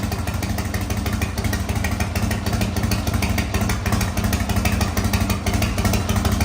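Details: 1985 Harley-Davidson FXRS Evo V-twin, sat five years, now on regular gasoline: loping, uneven idle with a deep steady beat and some valvetrain clatter, running on its own normally.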